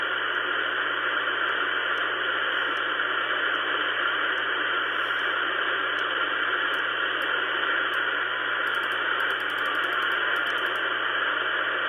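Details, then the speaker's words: Ten Tec Pegasus HF transceiver receiving at 10 MHz, after an LM7805 on the DSP board and a filter-board driver chip were replaced. It gives a steady, even hiss of band static with faint distant chirps; it receives well, though it has transmit drive but no transmit power. "it does receive though so it receives very well here's the receive aspect of it if i put in 10 megahertz it'll pick that up here's 10 megahertz not much in there"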